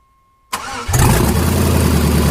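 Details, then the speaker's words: 1999 GMC Yukon with LS swap to a 5.3 V8, first start after the computer was returned: starter whirs briefly, then the engine catches and settles into a loud, steady, deep idle with no misses. "So another short little video, because I did promise you guys next time you saw this Yukon it would be running. I didn't say driving, I said we would be able to turn it on, so we did."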